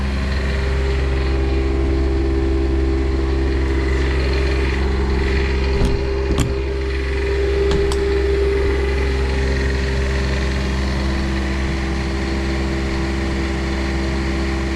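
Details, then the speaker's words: Onan QuietDiesel 7500 W generator reinstalled in 2000 Holiday Rambler RV on air-spring mount after full service, initial warm-up: steady even diesel drone, no knocks or rattles; quieter, less vibration than before, running healthy. "Well, it runs, and it definitely seems quieter than it was before."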